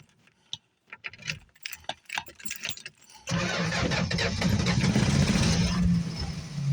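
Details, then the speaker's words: 1965 Plymouth Barracuda small six, cold start in winter: clicks and cranking, catches on ether at three seconds, runs rough and low. Starved of fuel, no fuel in the filter; starts, runs briefly, then quits. "It's running. It's just not getting any fuel. It's getting enough fuel to run now. It don't take a lot for these little 6 cylinders."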